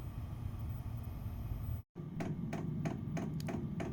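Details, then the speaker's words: Renault Trafic 3 with an underbody Chinese Webasto-type diesel air heater fed directly from the fuel tank, on temporary battery power, running after starting on the third attempt: steady fan rumble with the fuel pump ticking about every third of a second. Normal running. "Ça fait quand même du bouquan entre la pompe qui fait du bruit, qui claque et le système du chauffage"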